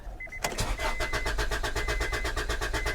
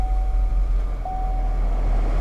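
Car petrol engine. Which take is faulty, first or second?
first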